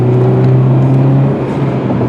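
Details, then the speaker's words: 2000 Volkswagen Jetta, five-speed manual, cruising at 55 mph in fifth gear: low steady drone with no whine, hum or knock; car is smooth and quiet. "but there we are 55 miles an hour in fourth gear where we're in the fifth gear and there we go nice and smooth as you can see the car is nice and quiet"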